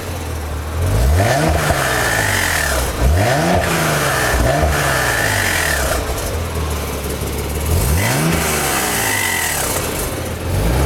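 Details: 1991 Nissan 300ZX twin turbo being free-revved repeatedly, with an odd unidentified noise each time the throttle is let off.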